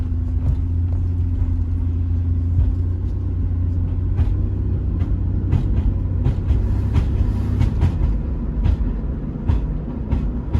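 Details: Irregular sharp clunks from underneath the car through steady road rumble while driving, after replacing passenger lower control arm with ball joint and a broken rear sway bar link; cause unknown.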